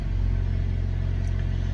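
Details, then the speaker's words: Car after a fuel pump and fuel pressure regulator replacement, pump previously making weird noises on cranking: fires right up with a deep, even rumble and steady pulse, no pump whine or buzz; running normally this time. "but it didn't make the weird noise this time it fired it did what it was supposed to do"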